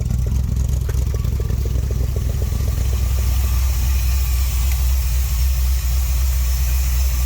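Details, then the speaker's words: Vintage street machine "Jezebel" V8 just started, with an oil leak from a suspected broken oil pressure sender, not yet warmed up: a few light ticks, then a steady, even low burble with no misses or hunting; normal idle. "That's how it's supposed to run. Oh, turn signals on. So much better. 10 times better."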